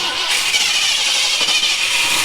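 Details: 1971 Ford F100 Bumpside barn find pulled from long-term storage, first start on fuel poured into the carburetor float bowl: catches and holds a steady, raspy, hissy roar with no misses or knocks; normal start.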